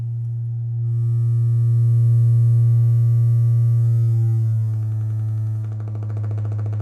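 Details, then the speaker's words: Miller & Kreisel MX-105 MkII subwoofer plate amp driven by signal generator near 60 Hz: low tone turns buzzy, clipping coming and going as it beats with the AC mains; distortion from ripple, both main filter capacitors bad, board recapped. "you hear how the clipping is coming and going as the signal generator is in phase and outer phase of the incoming ac power"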